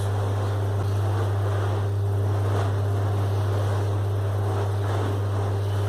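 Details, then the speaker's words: Split air conditioner indoor blower wheel on a test stand after counterweights were added, running at maximum speed: steady low hum with even airflow and no wobble; the wheel is well balanced. "Así que ahí quedó bien balanceada no se mueve la mesa está perfecta"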